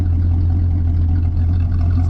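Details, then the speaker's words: 1983 Chevy El Camino, 305 5.0 L V8, just started after the battery drained and before winter storage: a deep V8 idle burble, slightly lumpy and unsettled. The owner had to adjust the idle; slight vibration is suspected at the pulley and alternator. "And I had to adjust it a little bit cuz the idle is not as good as it should be."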